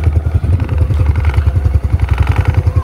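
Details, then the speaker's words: Honda Supra X 125 FI (KYZ engine), 87 days old, idling: steady single-cylinder thump with a light buzzy rattle. Owner suspects the license plate bracket has too few support points, since pressing it stops the buzz. License plate bracket rattle. "Nah, enggak geter, Guys, kalau kita tekan. Jadi kayaknya kurang banyak y tanahnya seperti ini tuh."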